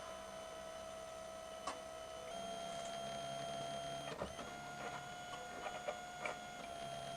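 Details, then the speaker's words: 2013 Ford Territory 2.7 L V6 turbo diesel, priming the fuel pump by cycling the ignition after a fuel filter change; steady electric buzz stepping in pitch as air is pushed out. "As you prime the system, you'll probably hear the fuel pump go really, really fast. It'll buzz really loud, but then it'll start to gurgle and quieten down as that air dissipates out of the system, because we know the air is compressible, whereas fluid is not."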